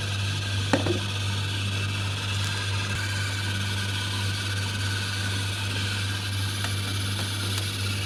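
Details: Samsung DV80TA02OAX 8 kg dryer running: a constant loud squeal over an even drum hum, attributed to the drive motor, which was replaced to fix it.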